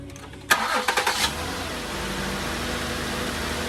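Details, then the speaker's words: 2008 Ford Taurus after replacing both VR camshaft position sensors; catches quickly after short crank, settles into smooth, even idle with no misfire, tick or stumble; repair seems okay. "So, not that we had any real big issues before, but you know, it seems like it's okay."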